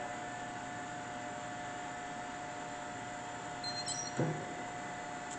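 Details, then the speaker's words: Brown & Sharpe Model 612 Valumaster 6x12 hand-feed ball roller surface grinder, original paint, Walker chuck, spindle just switched on: only a faint steady hum with one even mid-pitched tone and no knocks or rumble; the spindle runs very quietly and smoothly. "Bringing the spindle on. Very quiet."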